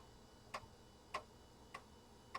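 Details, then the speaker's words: Compaq Deskpro floppy drive formatting a system disk (format A: /S); sharp clicks about every 0.6 seconds in a quiet room, very noisy but stepping normally. "That drive is so noisy. You guys hear that? Probably the loudest floppy drive I own."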